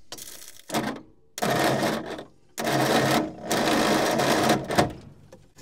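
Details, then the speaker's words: Old petrol Bedford tip truck, roughly early 60s–mid 70s, sitting 10+ years; short sluggish cranking bursts after adding an earth lead to the starter braid, no quicker at all; owner then suspects over-advanced timing. "No quicker at all."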